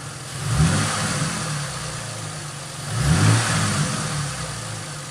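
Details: 2005 Ford Mustang, rebuilt and retimed engine after first start following about 3 years sitting: two clean throttle blips settling back to steady idle, no knocks or misses, smooth and healthy.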